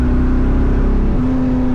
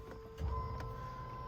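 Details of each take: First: LS-swapped 2nd-gen Firebird at wide-open throttle after fitting a non-compressing performance fuel pump sock to stop pump cavitation: strong steady drone holding pitch, no stumble or stall as before, fuel pressure perhaps about 8.5; owner reckons it's fixed. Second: LS-swapped 2nd-gen Firebird priming the fuel system via an under-dash button after a filter change: thin, steady high whine over a low hum, the electric pump labouring against a restricted pickup; pressure unchanged at roughly six.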